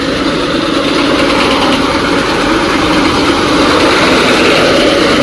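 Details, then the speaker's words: John Deere W70 machine at steady diesel idle with a rough, droning mid-pitched whir; fan noise that comes on when the machine turns sideways, cause unknown. "Fan sound అది కరెక్ట్గా మొత్తుకున్నాను కదా. ఇట్లా side ఎంత ఇట్లా అడ్డంలో పోయినప్పుడు fan sound వస్తా ఉంది అడిగితే ఇది ఆగి."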